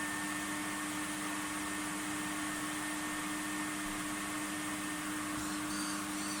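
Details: Skip-found, very worn Numatic Henry HVR200 vacuum that had failed a PAT test, run on a makeshift plug; even, steady motor drone with a constant hum and airy rush, no rattles or surges, running normally but with no suction.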